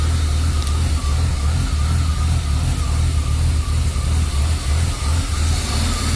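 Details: BMW E36 325i inline six: low idle keeps stumbling, loudness dipping unevenly every second or so; MAF and throttle position sensor replaced and idle valve cleaned without success; rough idle fixed by replacing the lambda (oxygen) sensor.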